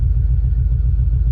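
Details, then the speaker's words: Subaru Forester on a new tune map, started with data logging running; low lumpy idle with uneven pulses like a big cam; rough idle, cause unclear. "cool now I gotta start the car oh God it's like I have a cam"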